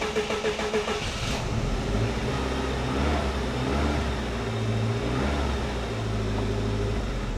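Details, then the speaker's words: 1988 Saab 900 Turbo after starter replacement and fuel line repair: starter now strong, engine catches and revs briefly then sags and dies; much better than before but won't stay running, cause unknown. "That's a hundred times better than before. I don't know why she doesn't want to stay running, though."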